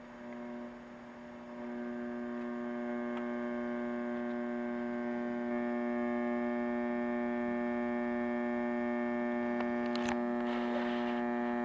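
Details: Macdonald CE 100 scanner: steady low mains hum with buzzy overtones, swelling louder when a certain capacitor is poked with a makeshift probe; supply filtering fault suspected, not confirmed.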